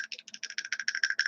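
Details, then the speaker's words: Drag Race Concepts mid-motor RC transmission idler shaft, with the case shaken: quick sharp metallic rattles about eight or nine a second from shaft end play. It is loose and needs shimming. "that's how loose that other shaft is it's a bit of lucy loose"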